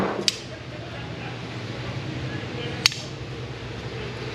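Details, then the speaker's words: Pontiac Firebird door hinge giving two sharp, light clicks a couple of seconds apart as it pivots; bushing wear on the hinge pins creates play, slightly worse on the upper hinges than the lowers. "I don't know if you can actually hear that it's kind of clicking a little bit but so what I've got here is I've got bushing wear on both of these just enough that I've got some play"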